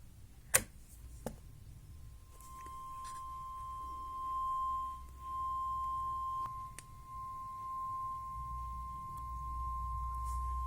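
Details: Vintage 1970s Nikko TRM-50 amplifier after repair, temperature-sensor wires reglued: a steady, clean single test tone over a faint low hum; works normally, though slight crossover distortion shows on one channel.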